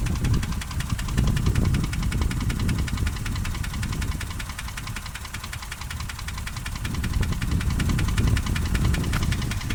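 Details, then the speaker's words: Toyota 1KR-FE engine at idle: a dull knock about four times a second over the rumble. Driving and power are unaffected; idle is shaky after an ECU reset and poor fuel. Knock source not identified. "Итак, вернемся к главной проблеме — двигатель начал стучать. Я долго размышлял, собирал информацию о том, что, чёрт возьми, происходит. Оно стучит, оно точно стучит."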